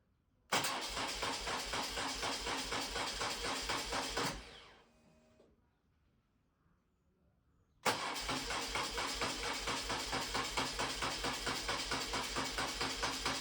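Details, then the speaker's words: BMW R1200C cruiser twin after fuel pump replacement and refuelling fires straight away, runs evenly, is shut off, then restarts instantly into a steady even beat; no fuel leaks. "Ooh. That was promising. Ooh. Try it again. Question is, will it idle?"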